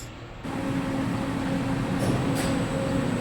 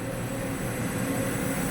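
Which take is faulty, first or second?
first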